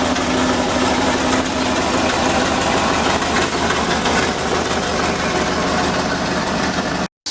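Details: LS V8 turbo swap in Miata kart, first runs on unfinished tune: loud, busy idle with an uneven, lumpy beat and no settled rhythm; rough idle from untuned engine.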